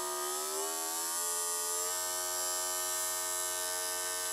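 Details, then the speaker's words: Small DC motor on a 3-35V 5A PWM speed controller from 12V battery, turned to max output: high whine climbs briefly then holds a clean steady pitch, no rattle or grind; normal running at full speed. "we'll crank it up to about 9 there's about nine and a quarter volts you can hear the motor speeding up and we'll take it up to the max setting to see if it actually will put out the 12 walls"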